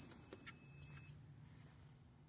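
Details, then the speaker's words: 2005 Pontiac Montana V6 ABS/traction control wiring check: a multimeter in continuity mode gives a steady high beep for about a second on connector pin 21, the right front circuit, confirming an unbroken wire. "so that tells me that this is the one for the one i have connected the right section that i have connected"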